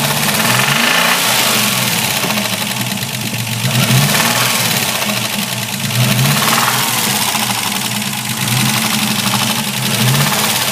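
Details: Capri engine with a harsh, gritty grinding over the running engine that swells each time the revs rise and fall; grinding noise, source unknown.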